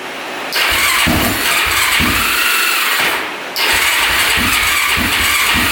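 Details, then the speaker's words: Dead battery so jump-started, choke pulled out: catches with a raspy, uneven note, stumbles out, restarts and stays ragged; very hard starting, needs full choke, rough running, cause not yet known (cooling to be checked). "a little rough um it definitely needs to choke out to even be close to starting so it's really really hard starting and um yeah it's not sounding the greatest"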